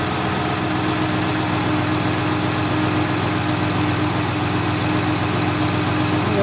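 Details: 2010-2019 Dodge Ram 5.7L V8 after water pump replacement and vacuum coolant bleed, warm near 200°, thermostat open: steady even idle, smooth constant hum, no knock, tick or squeal; failed pump's noise gone.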